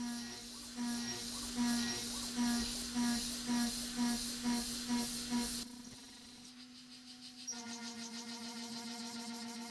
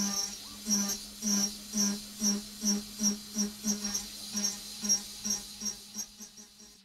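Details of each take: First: AvidCNC Benchtop Pro 2x3 router, S30C spindle, Fogbuster, milling steel at 900 surface feet, 5% stepover; steady spindle hum with even cutting bursts about twice a second, no chatter; acceptable cut. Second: AvidCNC Benchtop Pro 2x3 router, CNCDepot S30C spindle at about 12,000 rpm, 10% stepover in steel. Shrill pulsing shriek about twice a second, spindle audibly bogging; too much stepover for this depth of cut.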